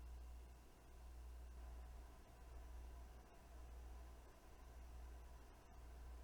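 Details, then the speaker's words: Weeylite Ninja 400 COB bi-colour LED light at 50 percent intensity, microphone about four feet from the light: very faint, steady low fan hum; the fan kicked in after eight minutes and runs quietly and normally. "the fan noise is pretty quiet for the most part at 50 percent intensity it took eight minutes for the fan to kick in"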